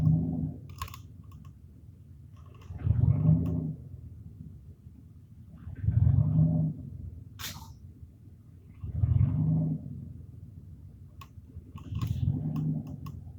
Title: 95 dodge ram 1500 rough idle from faulty temp sensor